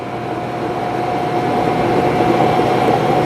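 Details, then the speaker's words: 2002 Dodge Neon 2.0L automatic on a test drive under throttle: engine revs to about 3,500 rpm with a high steady drone and no shift drop, feeling stuck in second gear; the transmission is not upshifting, and the speedometer is erratic. "Alright, the gauge is going crazy. You can hear the RPMs going pretty high. I'm at 3,500 RPM and I feel like I'm in second gear."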